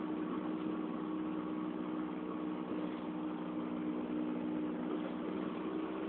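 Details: Rear hub wheel bearing hum on a 2004 Honda Fit GD3 1.5W at about 50,000 km, four years old: steady low drone at constant pitch under road noise while driving; recorded 2008 on a phone fixed in the car.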